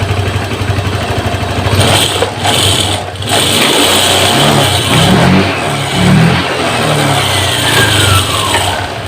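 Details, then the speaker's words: Honda Vario 150 injected scooter after fixing the faulty throttle position sensor behind the fuel-hungry running: revs up and drops back cleanly, holding a steady run with no misfire or stumble; healthy. "kita hidupan lagi teman-eman langsamnya dia enak terdengar enak ya terdengar enak ya teman-teman Berarti untuk motor ini sudah normal"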